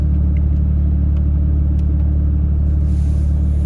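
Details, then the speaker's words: Nissan Xterra cold start after throttle body cleaning and relearn for P0507 idle code; steady, even low rumble at settled idle, no hunting or surging; idle seems better; normal cold idle. "But let's go ahead and fire this up for the first time, see how it idles. This is cold start too. Seems better."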